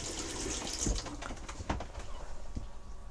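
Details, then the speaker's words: 2008 Bailey Ranger 500/5 caravan, cold tap opened on the pressurized system: water rushing and splashing with faint water pump hum underneath, pump runs about 30 seconds then cuts off; normal. "then once you've turned the tap on the water pump will run for about 30 seconds and then cut off"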